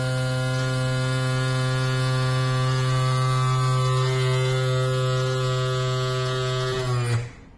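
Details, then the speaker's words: Yamaha F40 outboard power trim motor after repair (previously very slow and loud): a steady, even electric hum at a constant pitch for about seven seconds, then a clean stop. The trim now works normally. "Excellent, it's done. You can understand from that sound that this is ready."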